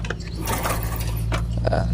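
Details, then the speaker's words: Yamaha Jupiter Z, wiring previously disturbed by the owner: starter grinds on with a steady low drone and never fires; no ignition spark due to a damaged CDI/ignition wiring path. "sini tidak ada apinya ya teman-teman oke nah jadi permasalahannya di mana kita cek ini"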